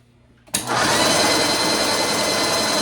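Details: Graco Magnum ProX9 airless paint sprayer that would not prime, run after repair and switched to prime. The pump kicks on sharply and settles into a steady, even high-pitched whir with no stumbling or surging, priming normally.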